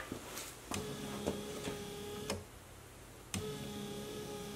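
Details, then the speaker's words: 2014 GMC Terrain, key on with the engine off, after replacing the broken wiper linkage and reinstalling the old motor: a steady motor hum with a soft thump at each end of the sweep. Wipers are operating normally. "functions seems to be working okay"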